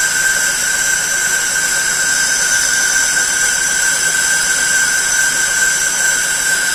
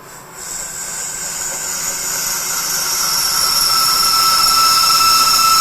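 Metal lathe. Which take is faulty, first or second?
second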